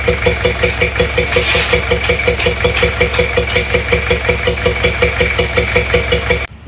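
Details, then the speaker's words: Toyota Kijang LGX diesel cranking and starting with the air filter off: loud regular chuff about three a second that gets louder without the filter; compression blowing back into the intake from tight intake valves, fixed by valve adjustment. "Kalau dibuka filter udaranya itu malah suara blok-blok nya itu malah semakin kencang ini seperti kompresi balik ke Puncak manifold"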